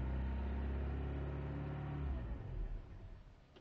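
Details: 1998 VW Jetta, cold, after a load: an uneven, lumpy idle that sags and fades over a few seconds and dies without throttle; it also cuts out at 5100 rpm. Misfire with unstable idle, cause unknown.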